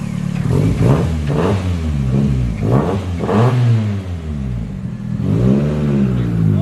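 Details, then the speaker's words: 4E-FTE engine forged build from second-hand parts, first startup with good compression: revs up and down smoothly, even note, no knock or tick; a bit smoky, builders suspect ring error; normal revving. "It's time to send it. Well, she's a bit smoky. I think we've done something wrong with the rings. It sounds okay."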